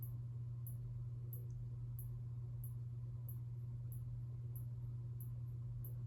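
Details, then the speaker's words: 1981 Casablanca Zephyr ceiling fan, with the bottom bearings oiled but the top untouched. Steady low motor hum with a faint tick about twice a second, once per turn. Bearing noise remains; unclear whether top or bottom bearing. "So you do still hear some bearing noise, but I can't tell if that's the top or the bottom bearing making that noise. Maybe it's both, I don't know."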